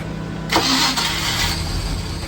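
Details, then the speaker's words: Mercruiser 305 engine in a 1995 31-foot Silverton yacht, found with water in it, with fuel being pumped down: the starter spins, one brief rough burst, then it dies without running; cranks but won't start, cause unconfirmed. "So, it's not looking like it's going to work. Um, but what I am seeing right here is I'm seeing a little bit of life in the engine."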